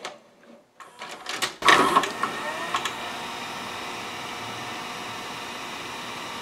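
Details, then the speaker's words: Sony SLV-740HF VHS VCR, cover off, before repair: clicks and clatter as the loading motor takes the tape in, then only a flat hum with no reel or capstan motion; likely a gummed friction clutch. "so now runs up but I see nothing else happening well I know the loading motor has to be working okay because the main loading motor is what takes the tape in"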